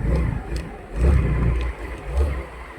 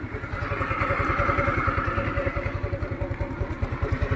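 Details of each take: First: Rusi Rapid GY6 scooter after the rusted carburetor was fixed: low throaty engine rises and falls through three blips, dropping back to idle each time without stalling; no longer dies when the throttle is released, running healthy. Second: Rusi Rapid motorcycle unused two years, now fitted with a D-type carburetor: after throttle release the single-cylinder idle hunts, surges and sags like it's gasping, then stalls; no stable idle, carburetor found rusted in the jets with moss in the diaphragm.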